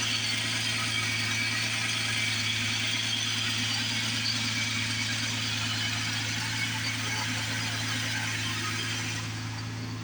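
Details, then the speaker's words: 2006 Ford Taurus SE petrol engine, about 195,926 miles, idling steadily with a fast light rattle of roughly three beats a second; owner suspects the AC compressor rattling, not confirmed. "constantly hear that AC pump rattle or that compressor rattling. So yeah, I gotta unhook that."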